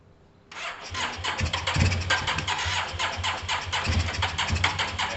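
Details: Yamaha TMAX carbureted scooter kicked over on sprayed starting fluid: catches and runs ragged and uneven, stumbling about four times a second. It is starved of fuel, possibly from fuel delivery or caked-up carbs that may need cleaning. Fuel starvation.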